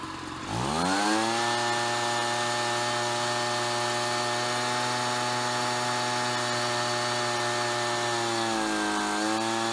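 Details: Ryobi BP42 backpack leaf blower two-stroke, 4 years old, after repairing no-spark, replacing and tuning the carburetor, and redoing the fuel lines: climbs quickly to a steady high rev, dips briefly near the end and recovers cleanly; normal running.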